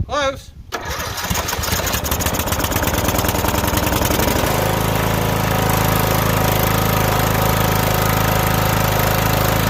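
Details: Riding mower started on choke from its own gas tank: cranks briefly, catches, then settles into a steady, even single-cylinder idle with a regular beat, running fine.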